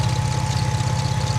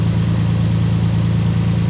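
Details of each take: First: Lexus IS200 at idle during oil change: steady low idle thrum with a thin constant whine on top; clutch ruled out, owner suspects a poorly tightened timing belt, unconfirmed. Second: Lexus IS200 idling during an oil change. A smooth, even low idle with a steady rumble and no squeal or chirp; the earlier belt noise can no longer be heard. Normal idle.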